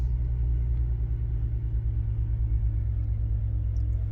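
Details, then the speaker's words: 2006 Bentley Continental Flying Spur, a salvage car, key on after the replacement strut is fitted: a steady low electric hum as the air suspension compressor runs normally, airing up and raising the body. "Sounds like the compressor is running. We're just going to have to give it a minute. So the compressor is running, as you can hear."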